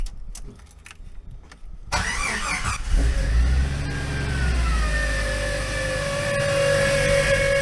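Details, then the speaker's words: Jeep YJ right after start-up: a loud, steady whine climbs and settles over the idle, coming from a belt-driven accessory. Owner suspects the power steering pump and says the noise usually fades after running a while. "honestly I have no freaking clue what that is I think it's the pump but it just sounds like it's coming from everywhere"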